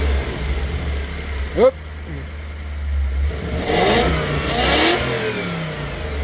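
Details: Toyota 1UZ-FE V8 on a Link Monsoon ECU with a 2-wire idle speed control valve: revs blip up with a fluttering, pulsing air noise as the idle valve hunts.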